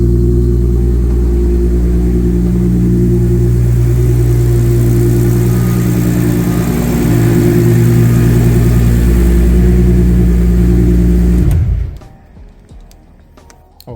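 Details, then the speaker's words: Supra engine after installing HKS 264 cams, new water pump and cam seals: started easily, smooth even idle about eleven seconds then clean shutdown, no knocks; coolant still burping. "so car started up nice and easy. Just normally in this weather it takes three, four cranks to start or maybe I just got the timing a little bit better than it was before. But it started up easy."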